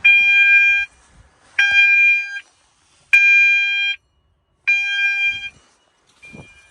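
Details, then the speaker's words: Cyton CB1 conventional fire alarm panel in full alarm, bell not used for a while; bell rings in bursts under a second with short gaps, a clear steady ring, working though not very loud. "Seems like the bell works as well. I've never really touched the bell for a while, but it works."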